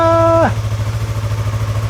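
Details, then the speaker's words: Stolen-then-recovered Yamaha R3, just started after engine case cover replacement with coolant topped off and oil refilled. Brief starter whine, then a steady, even, smooth idle. Normal idle. "Oh man. Listen to that baby purr. Oh yeah. Yeah, she's doing good."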